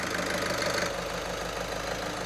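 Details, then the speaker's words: Skoda Superb 1.6 TDI diesel with new Continental injectors, coded and learned (three drives to 3,000 rpm, down to 1500); even idle, steady low beat with usual injector tick, no misses or knocks; running perfectly, normal idle. "And this started like that straight away as soon as we put the new Continental injectors in. fired it up. It ran like this."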